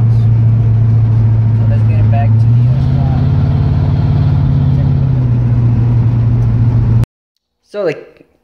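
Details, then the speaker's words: 1978 Pontiac Trans Am 400 V8 (X7 block, 6X heads), idling after timing set to 18°: steady even idle, smooth low rumble, brief rise in revs; idle slightly high, otherwise runs perfect. "came on came out bought on a car ran perfect the idle little high but I made some adjustments and overall it came out pretty good"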